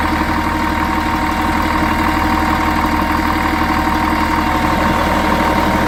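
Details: Volvo Olympian bus with a D10A-245 diesel idling with an uneven, lumpy rumble and a thin steady whine on top: a weird, abnormal idle sound.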